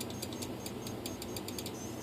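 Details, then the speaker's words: RC F-22 profile plane ESC on test with a weak motor: rapid repeating high chirps after throttle calibration, not arming because the throttle low point wasn't low enough; it armed once trim went to about minus 67. "You hear it beeping, guys? I don't know why it's beeping. I don't know if that means the ESC is bad or if that means that there's some strange condition that will have to be sorted out."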